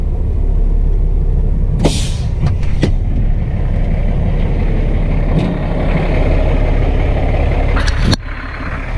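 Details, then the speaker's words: Cummins ISX diesel idling after a rebuild: deep steady rumble with air hisses and clanks; gear train sounds quiet and normal, no obvious leaks. Normal idle. "know that don't sound bad there that gear train Buchan is X actually no leaks well nothing like real obvious"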